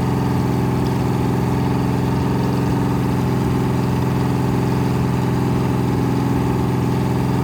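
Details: 426 Hemi crate engine after rebuild (new heads, intake, pistons) on a run stand, holding fast idle during flat-tappet cam break-in, about 15 minutes in, near 210°, 50 psi oil pressure: smooth, even V8 drone without ticking or knocking; normal, no cam failure.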